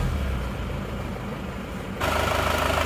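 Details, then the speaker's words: Newly assembled diesel engine, first start after rebuild with empty fuel line, starts readily: steady diesel clatter with even low beat, no misses, then brief rise in revs; smooth even idle, no longer smoking. "suaranya halus kita gas-gas dulu dan yang penting lihat ini sudah engak ngobos lagi"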